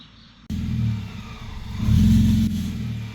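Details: Supercharged BMW M54 Z3 after swapping an aftermarket throttle body for a used genuine BMW unit: engine surges after a lull, then bogs and recovers unevenly; stumble on tip-in, happening less often, cause not pinned down.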